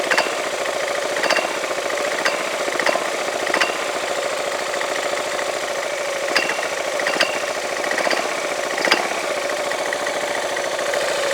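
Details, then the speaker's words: Yamaha Majesty scooter at idle about 1100–1200 rpm, CVT cover off: uneven sharp metallic clanks about every second; owner sees clutch shoes moving and slapping the bell, unsure if normal. "it's the shoes moving around in the or slapping against the Bell I'm not sure why unless that's normal"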